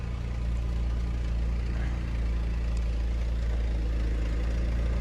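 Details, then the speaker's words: Pontiac with 146,000 miles after the failed original starter was replaced, slightly smelly: deep, smooth, even idle rumble holding steady with no knocks or ticks; normal idle. "I mean, I'm a little dirty. I'm not that bad, but it's finally up and running again."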